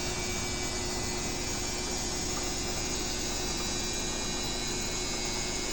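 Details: Midea BWS24 washer running: even motor hum with steady wash swish, no banging or grinding, unlike the neighbour's unbalanced Midea Healthguard; operating normally.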